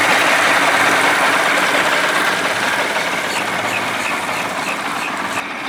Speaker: Back in business, baby. Woo-hoo-hoo. Back in business. Man, I'm telling you, this little puppy, man, hauls ass.